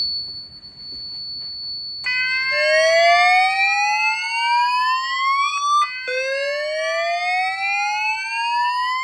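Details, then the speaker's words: F4 fire alarm panel test in a simulated fire condition with the bell cutoff off: a sounder and a voice speaker, set to 0.33 W (quietest), give a clean, rising, repeating whoop tone and an evacuation message. Both are working properly. "So now when we get a fire condition, both this sounder here and that speaker should go."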